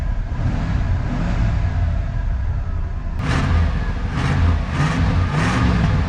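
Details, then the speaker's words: Old Ford F150 V8, seized engine less than a month earlier, firing order just corrected to 1-5-4-2-6-3-7-8: revs up and settles in short bursts. It now runs reasonably even without misfire stumble. "now it's running halfway decent might as well throw a new filter on there not too bad she's old one legger but that's okay this was a seized motor less than a month ago absolutely insane"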